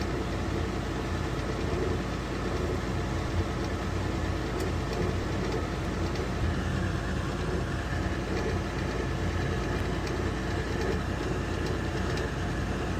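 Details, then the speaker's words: Weil-McLain HE boiler (integrated boiler control 1013-200), no-heat call, at ignition on call for heat: combustion blower gives a constant low, rough, unsteady drone; technician says the fan sounds tired, suspected worn, not confirmed. "Ignition. This fan sounds tired, man. I gotta tell you."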